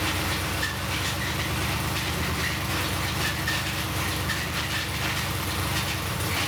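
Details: LS1 5.7 V8 running: fast even metallic tapping locked to engine speed, with metal in oil and squeal; spun connecting rod bearing knock.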